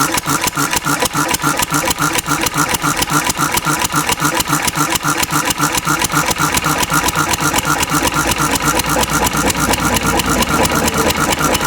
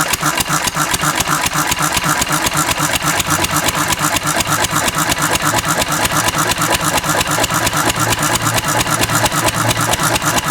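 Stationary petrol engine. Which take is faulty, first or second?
first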